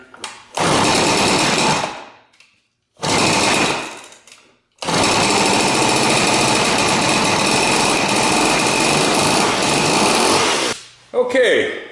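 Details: Rebuilt McCulloch 6-10 chainsaw, with points adjusted and carburetor set, started on choke with a dab of fuel in the cylinder: two short buzzing bursts die off, then a sustained high two-stroke snarl for about six seconds. It catches and runs.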